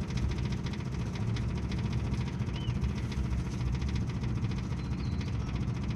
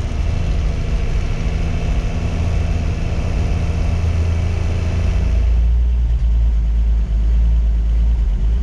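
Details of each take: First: 1958 Ford F100 panel truck, plugs cleaned, carburetor cleaned, carb cleaner used to start, fresh fuel from new tank: low, lumpy, stumbling idle, not firing every cylinder; misfire traced to ignition points, which were replaced. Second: 1958 Ford F100 panel truck six-cylinder after cleaning plugs and replacing ignition points, choke being adjusted: steady deep idle on all six with slight unevenness, revs settling; owner suspects leftover bad fuel in the system.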